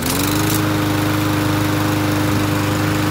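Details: Lawn mower single-cylinder gas engine, carburetor cleaned twice, started with gas assist: catches and holds a steady, even buzz at constant pitch, no surging or misfires. Normal running.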